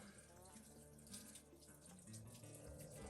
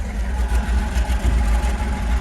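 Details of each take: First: 1967 Chevy G10 flat-face van being filled with coolant concentrate: quiet, steady trickle of coolant running out and splashing; the leak comes from the block heater (frost) plug, which needs replacing. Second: 1967 Chevy G10 flat-face van, 90-inch wheelbase project with an old V8: deep, steady low rumble with even firing pulses and no knocks or misses; idles smoothly and sounds fine.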